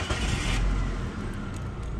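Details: 2002 Mazda with code P0302 cylinder 2 misfire that shook the engine: engine starts and settles into an even, steady run without stumble or shake; misfire gone.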